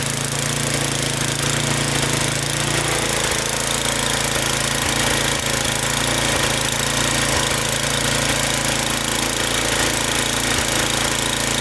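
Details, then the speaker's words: Snowblower after cleaning out carbon and spraying fogging oil, previously surging at idle and stalling: small petrol engine now idles evenly at steady pitch, no surging, idles down without stalling. "You can already hear how much better it runs. That thing wouldn't even stay idle. Couldn't even idle it down before. Now it's not surging and it can idle down without stalling out."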